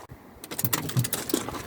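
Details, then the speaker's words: Volvo XC90 diesel with DPF, no fault codes; with ignition on and engine off, buzzy whirring in uneven bursts from the electronic turbo actuator arm hunting. "so then if you can hear it or not but that is the noise I'm having at the moment as soon as you have it on um ignition so that's just ignition on you're getting that and I found out what it is it's the actuator arm on the turbo"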